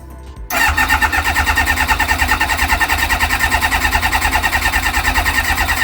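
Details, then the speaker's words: Kawasaki ZX-6R after 10 years sitting, a loose fuel line just connected. Fast, steady cranking at about three pulses a second without firing. Owner suspects flooding; it later started without choke, which supports that. "Why is that not working now then? That is the question. Maybe I flooded it."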